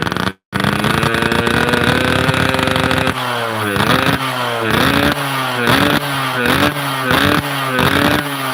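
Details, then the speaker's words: Motorcycle, bog on uphills as complaint: on blipping, revs sag and stumble in uneven wet burbles instead of climbing; carburetor suddenly flooding, something wrong in the carb (not confirmed). "Aduh, karburatornya ini guys, tiba-tiba melubuk, banjir. Ada yang nggak beres di karburator iki."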